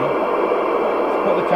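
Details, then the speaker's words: 1997 Jesan 88-900 CB27/81 UK FM CB base station, revived from scrap after rewiring the front panel, first power-up at lowered volume. Steady open-channel hiss, even and clean with no crackle or hum; normal receiver noise and squelch. "Okay, so now we'll turn it on, but I'll make sure the volume's lower. Yep, there we go."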